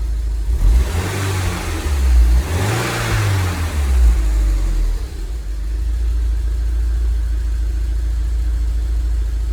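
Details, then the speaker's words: 2002 Rover 75 / MG ZT that stalled at idle and sat a long time: rough, lumpy idle with early blips and a beat that skips, an audible misfire; slight smoke, thought to be condensation; cause unknown, possibly a head gasket. "so I don't know if you can hear it but it is missing in quite clearly"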